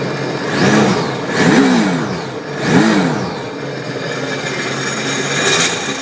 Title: Seadoo Sea Doo RXP X 255 RS normal rattling noise while out of water